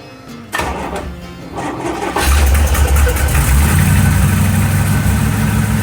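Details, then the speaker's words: 1955 car ('55), first start since engine reinstalled: cranks, catches, lumpy idle with sharp raspy puffing tick at each pulse; suspected hole in a header tube causing exhaust leak, not confirmed. "is there a hole in the header sounds like there's a hole in the header in the tube over here for some reason"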